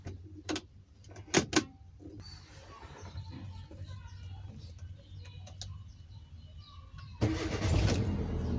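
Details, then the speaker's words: Automatic car with hard-start complaint, battery and starter good: with gear stick moved to P, quiet cranking, engine catches at about seven seconds and settles to a steady low idle; normal start. "The correct way is to put the gear stick on P and start the engine"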